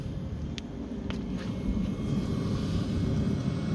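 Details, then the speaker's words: Land Rover Discovery 3/LR3 fuel-burning heater after fitting a remote controller and clearing fault codes. It now runs with a low, steady rumble, soft even pulse and faint clicks, warming normally. "It's come up, so obviously there was a code in there. Could have been because it was unplugged and the reset function on the control didn't work, but now it's started up and we can hear it going."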